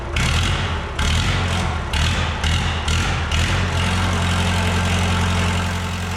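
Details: Late-1980s Lull Highlander 844 telehandler diesel after valve lash adjustment, exhaust 0.018 in, intake 0.014 in: loud raw open-pipe clatter with deep steady rumble at idle, muffler removed, running on its own, not smoking much. Engine running with muffler removed.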